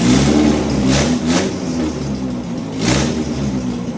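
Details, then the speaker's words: Fully built B18 non-VTEC AWD Honda Integra, first start; short rev bursts dropping back to unsettled idle, rough running because the idle control valve was left unplugged. "Just one problem. The idle control valve wasn't plugged in."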